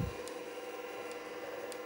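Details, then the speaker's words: Hard drive in an IBM Personal Computer, booting upside down so oil can seep into the bearing: thin steady whine with faint irregular ticks and scraping; noisy and unhealthy but working, bearing suspected. "it's noisy and it definitely doesn't sound healthy but it's actually working it's hard to believe with all that noise that that is actually a working drive"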